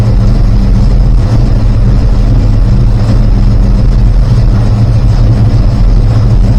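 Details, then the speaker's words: Rebuilt 360 V8, warming up: rpm lowered and timing cut to just under 10°; loud deep lumpy idle with occasional sharp exhaust pops, suspected unburned fuel, tune still off. "take the timing down as it's warming up a little bit back just under 10 you can still hear it banging away a little bit there"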